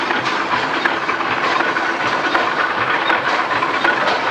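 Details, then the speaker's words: Stationary engine at Rough N Tumble Museum (10x15 bore and stroke, 5 ft flywheels, about 5,300 lb, magneto ignition, ported exhaust) after a valve roller adjustment: slow even exhaust beats, about eighty a minute, over a steady hiss. "that runs beautiful. Yeah, it seems to be as well as I would expect it to run."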